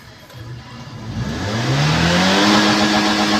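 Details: 2016 Toyota Vios with a leaking exhaust manifold gasket. As revs climb smoothly, a raspy, fast puffing edge rides on the exhaust note.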